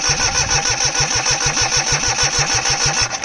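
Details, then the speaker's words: 2002 Cushman Truckster repowered with a Perkins 103-10 diesel, fuel bled, no glow plugs fitted, cranked at about 60°F: steady cranking around seven compression beats a second under starter whine, never fires; owner suspects it needs glow plugs. "This thing just must really need glow plugs to go."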